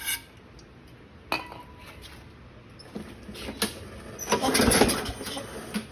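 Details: 2009 Craftsman self-propelled mower, Briggs 6.75, leaking gas and not starting: on carb spray with choke, short ragged burst of firing that dies away; fuel system fault, carburettor needs cleaning and rebuild.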